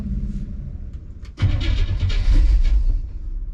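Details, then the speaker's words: '57 with FiTech fuel injection reinstalled after warranty repair, first start attempt: uneven cranking chugs, then ragged firing bursts that surge and fade without settling into idle. Fires and shows an rpm signal but won't catch; hard start. "well it fired it never did that last time we have an rpm signal it's trying to start"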